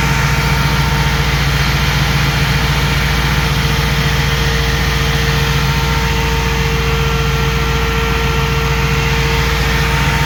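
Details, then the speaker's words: 2005 Jeep Grand Cherokee 5.7 HEMI V8 idling with AC on and the new 16-inch SPAL electric fan, replacing the hydraulic fan, running: steady, even idle, constant fan whir, faint AC tone; normal. "Got it. Worked real good. It's ready to go in a 2005 5.7 liter Jeep Grand Cherokee."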